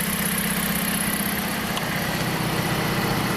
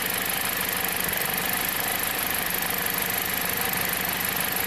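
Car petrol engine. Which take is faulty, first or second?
second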